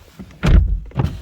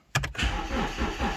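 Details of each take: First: High-mileage BMW 1 Series four-door 1.8 diesel, ignition on, charging and diagnostics pending: the power windows lower with two short, clean motor whirs and no grinding, clicking or straining. Normal power window operation. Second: High-mileage BMW 1 Series four-door 1.8 diesel, just bought unseen: the starter turns over slowly in labored pulses for five seconds and never fires. Battery measures about 11 volts; weak battery, no start.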